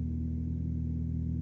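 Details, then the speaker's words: Car idling in neutral after first DIY clutch replacement, sat weeks on jack stands unstarted; low idle rumble with slightly uneven beat, owner attributes it to sitting, rough idle cause not yet clear. "sounds a little bit unhappy okay it started up a bit funny I'm gonna put that down to the fact it's not been starting quite a few weeks"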